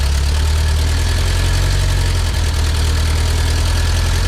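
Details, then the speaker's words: 1977 bus, carbureted with an automatic transmission, running after 30 years, valve covers just refitted and oil pressure not yet confirmed: loud, steady, even running with a fast idle that never settles lower. The idle is set high and the carb needs adjusting. "I do have the idle set a little high so yeah it runs um I think the carb needs some adjusting"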